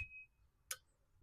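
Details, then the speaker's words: 1969 Honda CB350 cylinder head, valves tapped with hammer: faint tick then a sharp bright metallic ping with short ring-out; valves move freely and are not seized, a seized valve would give a solid thud. "Now, if they were seized, you wouldn't quite hear that ping, and you wouldn't really feel it in the handle as it goes down. It would be more of like hitting something solid, like a solid thud."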